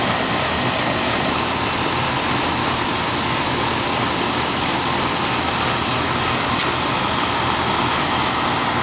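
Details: Old Amana R22 AC condenser, seasonal check on a warm day around 70–72°F: system working well; even, steady condenser fan whoosh over a smooth compressor hum, no rattles or squeals; running normally.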